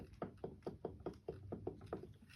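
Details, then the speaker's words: Electric scooter hub motor wheel spinning with sharp, regular clicks about four times a second. A bad wheel bearing, usually on this side, shows rust; the whole assembly needs removal. "chances are you have a bad bearing on either side usually it's this side that goes bad"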